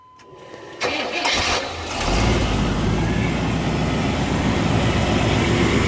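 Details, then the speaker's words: Replacement engine from a Suburban, installed six months after the original blew up, starts with a brief crank and settles to a steady idle with no knocking; still needs a water temperature sensor and transmission mount, new aluminum radiator fitted. "She sounds good. I just got to replace that water temperature sensor and a transmission mount, and we'll be back in business. She's happy."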